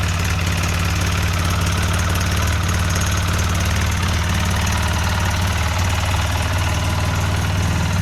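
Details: 2008 Polaris Sportsman X2 700 twin ATV, just reassembled, stock exhaust: even, low thrumming idle with a steady beat around four per second, no knocks or ticks; very quiet and healthy.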